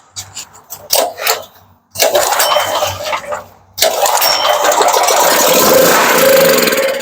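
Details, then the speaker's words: Firman 3650 W (4550 surge) yard-sale generator with old gas in the tank: pulled with starting fluid sprayed in, air filter off; short catches, then it fires and runs roughly, so the carburetor is not getting fuel. "so yeah hopefully you saw that light up and so we have a carburetor issue so we'll get into that right now"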